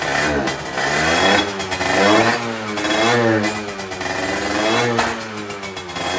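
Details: Derbi two-stroke after carburettor change and exhaust leak repair: crisp buzzing revs climbing and falling cleanly with throttle, much less of the earlier tinny rattle; runs healthy.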